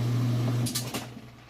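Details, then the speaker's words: Roper top-load washer, heavy load of towels, about halfway through wash cycle: strong low motor hum driving strokes, then water sloshing, no knocking; very strong agitation; normal agitation. "Excellent job through the wash cycle. Agitation is very strong. Sounds really good."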